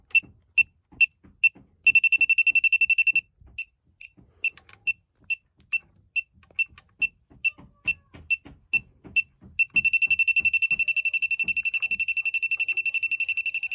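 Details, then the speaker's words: Elitech WJL-6000 refrigerant leak detector held at a known AC leak where soap bubbles form: fast, regular high-pitched beeping at about two per second, turning into a rapid continuous chirp. The detector is alarming on refrigerant. "i don't know if that's what the detector is picking up because that's where i see a leak whenever i spray the bubbles there"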